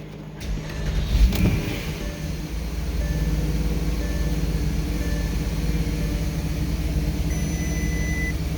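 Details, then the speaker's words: 2009 Porsche Cayenne S V8 after new coil packs and spark plugs and a refitted intake snorkel: brief catch on start-up, then a smooth, even low rumble with no stumble or miss; running healthy. "I think it's better. It's got to be."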